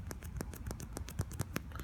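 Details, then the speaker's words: iPad Air 2 home button after refitting its grommet with 2 mm double-sided adhesive tape; about a dozen crisp, firm, consistent clicks in two seconds; button seated and clicking normally. "clicking the mess out of this button and it is staying in there good as you can see good click the crap out of this"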